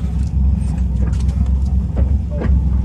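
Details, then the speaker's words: Twin Crusader 350 marine engines in a Pacemaker 36 SF, after fixing overheating caused by broken belts and a torn hose: deep steady burble from both engines with an even pulse, no knocking or rattles; healthy idle, "purrs like a lion". "satisfying hearing the purr of the twin Crusader 350s I told my kid she purrs like a lion"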